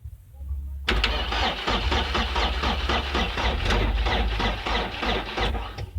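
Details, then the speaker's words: 2002 Mercedes Sprinter 2.2L common rail diesel, sat about a year, immobilizer sorted; weakening battery gives slow labouring cranking about four beats a second, never fires, and scope shows no rail pressure building. "The battery is getting weak, but you can see certainly we don't have any pressure being built up in the rail whatsoever."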